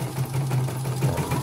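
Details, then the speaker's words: Embroidery machine after its rotary hook was reinstalled and adjusted and the missing rings were fitted: a steady, even hum with light, regular stitching ticks. The small noises are put down to fresh cleaning and clear lubricating oil. Smooth stitching. "Hasilnya seperti ini, sudah halus sekali bordirannya. Kalau bunyitnya kecil-kecil itu karena habis dibersihkan, dan sekarang dikasih minyak."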